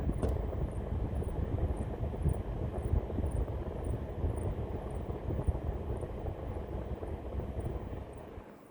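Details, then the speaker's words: Lian Li UNI FAN TL LCD 120 reverse-blade case fans: the middle and top fans squeak, a faint chirp about twice a second over the airflow, when ramped to full speed. They are silent at the quiet and high speed settings. "We can see the RPM ramping up here. And now you can hear the noise being reproduced again."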